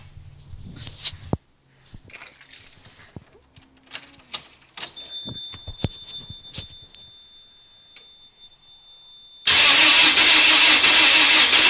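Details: Lotus start attempt: clicks and handling noise, then a loud, harsh starter churn that never catches into a running engine; cranks but no start.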